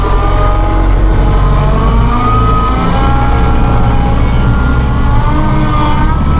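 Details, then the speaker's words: Massey Ferguson tractor hydrostat with auto throttle; auto throttle raises engine rpm to prevent stalling, steady diesel drone rising gradually in pitch with no knocks; normal engine speed-up. "can hear that engine revving up see the RPMs on the dash then it automatically comes fight so if you need to boot somewhere quickly and it's slow down and do work you can do that"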